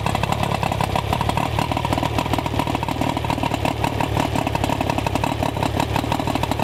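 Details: Rough-running outboard after ignition repair (ignition control module replaced, coil boots shortened, silicone grease on connections): fast even buzzing steady idle with no misses; normal running.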